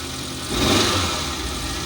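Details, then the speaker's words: Sun Na Kawan petrol car, cold after standing long, idles slightly high, smooth and even; earlier misfire with code P0300 (random/multiple cylinder misfire) now gone after clearing, idle expected to drop as engine warms; gearbox found with no oil, engine oil fine. "पहले गाड़ी missing कर र थी missing नहीं कर रही बिल्कुल अपनी जगह प आ अपनी जगह जैसे टमपरेचर पूरा होगा गाड़ी का और ऐसे अपनी जगह प आ जाएगा"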